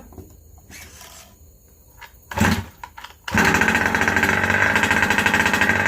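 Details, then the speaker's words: Rovan Baja 5B two-stroke just fitted with a new 1107 carburetor, still needing tuning: after some clatter, snaps to a raspy, uneven high rev, reluctant to climb; running lean on the low circuit. "I still have a little bit of a lean spot. I can hear it kind of not wanting to get up on its RPM."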